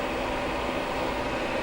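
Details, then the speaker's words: Newly installed coolant heater in a Sprinter van, working after about half an hour of cycling: a steady, even rush of strong hot air with a faint constant hum, no rattles or surging, the blower running smoothly. "Yeah, this is blowing nice hot air. You can hear it too."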